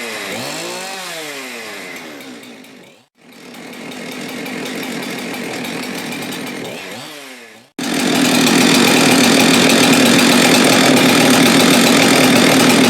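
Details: Husqvarna 372XP X-Torq chainsaw after failed PTO-side main bearing replacement and case repair: crisp rev-ups rising and falling cleanly, then steady high-speed scream, no rattle or knock; runs healthy.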